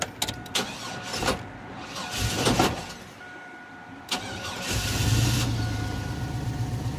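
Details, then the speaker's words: Blazer on restart: it cranks in short bursts, then catches into an uneven, lumpy idle. A distributor connector and the number 1 plug wire had not been plugged in properly, and the owner thought that was the cause, yet it still runs rough. "the car is just idling so rough now and I went to I turned it off at O'Reilly I went to turn it back on and just listen"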